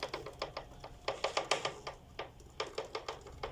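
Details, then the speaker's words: Motorcycle chain drive with sharp, uneven metallic tapping from the chain area: front sprocket rocking loose on worn output shaft splines. "como se puede percibir y se escucha un sonido muy extraño y que puede llegar a ser molesto en la zona de la cadena"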